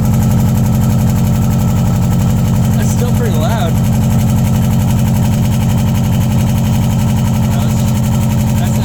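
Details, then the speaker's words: 2002 Subaru Impreza WRX with newly installed DNA Motoring turbo-back exhaust, silencer in, cold start: loud deep lumpy boxer idle with a faint metallic buzz, an exhaust rattle. "that cold start too. I hear it rattle. Hear that rattle?"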